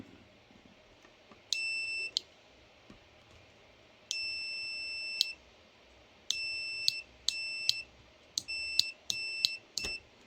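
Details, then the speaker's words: Multimeter in continuity (beep) mode testing the switch of a faulty Parkside Performance 20V cordless tool; sharp high beeps, short and longer, each time probes close; switch conducts every time; normal continuity beep. "je me suis mis en mode en mode bip il marche à tous les coups hein"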